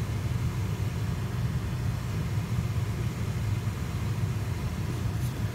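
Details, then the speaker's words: BMW 3 Series heater blower motor after repair, previously squeaking and rattling: smooth even low hum with no squeak or rattle; owner hopes grease reached the bearings, fan now quiet and normal. "it's a spade number one they don't sound too bad it's nice and quiet so I've got a hope that Greece is the the loop has gotten to the bearings and is now spinning up nicely"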